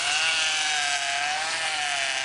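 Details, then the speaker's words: Power steering with the wheels turned back and forth: a steady mid-pitched whining groan that wavers as the wheel is worked. The pump is drawing air; the planned fix is evacuating air through the reservoir with the cap off. "Make the noise there. Now we're going to see what we can do about taking care of this noise. What we need to do is use to try to evacuate the air."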